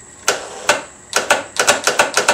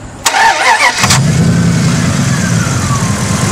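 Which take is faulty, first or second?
first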